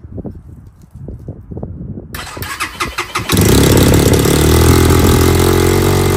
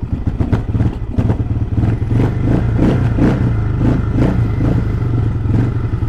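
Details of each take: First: XPro Templar X 250cc dirt bike, ice-cold first start after installing a 30mm Nibbi carburetor: cranks, then the single holds a fast, even idle that won't settle; the throttle cable was too tight and was loosened. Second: XPro Templar X 250cc dirt bike fitted with a new 30mm Nibbi carburetor, idle set to about 1000 rpm, idling from cold; steady, even single-cylinder thump with no hunting or stumbling, where it was previously hard to idle cold. Normal cold idle.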